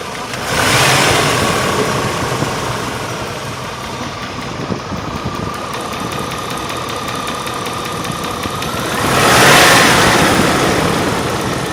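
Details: 1998 Range Rover P38 V8 idling: fast, light ticking over the hum, now heavier-sounding but still at valve speed; suspected valve-train tick, not confirmed.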